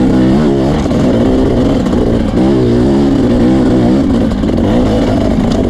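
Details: Two-stroke dirt bike racing at Merritt: wavering, blubbery note at race pace that never cleans up; rough running, owner suspects jetting, unconfirmed.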